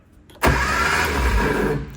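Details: Austin Mini 850 pickup barn find stored 30 years, after new floor starter switch installed: strong brief churn on the starter for about 1.5 seconds; normal cranking.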